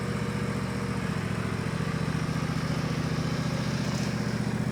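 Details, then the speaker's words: Countax ride-on mower/tractor after transmission rebuild with 75/90 fully synthetic gear oil, slipping-belt drive, pulling away and moving through the speed range; small single-cylinder steady low thrum, no knocks, whine or clatter: normal running. "It's the old slipping belt job, and it's a bit vicious as you saw, but it works perfectly. Doesn't make any noises. You can move up and down the speed range."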